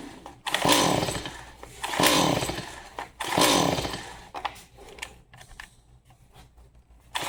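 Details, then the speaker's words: Stihl MS 180C chainsaw, spark confirmed, starting fluid sprayed in with plug out: three ragged revving bursts that fade out, fires only on the fluid and won't keep running; old fuel suspected, not confirmed. "It wants to. Let's do it again. I think it's just old fuel. Pull a couple times like that. Then choke it. Got to be faster."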